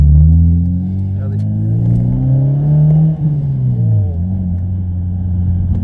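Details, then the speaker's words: Mazda 6 1.8 naturally aspirated 120 hp, silencer gutted with no valve, heard from inside while driving: deep booming drone swelling and sagging with engine speed; exhaust drone. "c'est que j'aurais dû mettre un clapet j'aurais pas dû vider le silencieux sans mettre de clapet parce que ça bourdonne c'est désagréable"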